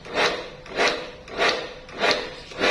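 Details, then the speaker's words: Pressure washer, trigger released: motor surges on and off about every 0.6 seconds, never settling; pulsing instead of shutting off. "ครับนี่คืออาการกระตุกนะครับมันไม่ขาดกันนานๆนะครับผม"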